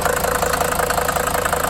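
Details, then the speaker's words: Mercedes 300D 5-cylinder diesel, long-sitting auction car, first start: even, quick clatter about eleven beats a second over low idle, no misses; healthy idle after idle adjustment. "overall I'm really happy about this engine seems to sound pretty good"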